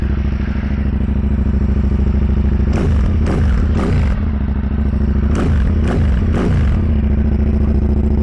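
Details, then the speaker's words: 2010 KTM 990 SMT, 75-degree V-twin, just started: a lumpy, loping idle beat with a few quick throttle blips that rise and settle evenly. A good, normal rumble. "she's got a good good Rumble to it man when you start it up"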